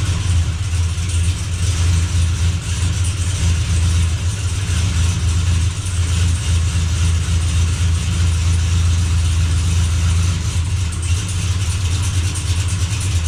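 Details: Chevy Blazer after transmission repair, running while shifter is moved through gears to circulate transmission fluid; deep even drone, no slipping, clunks or whine, good oil pressure, no leaks: normal running.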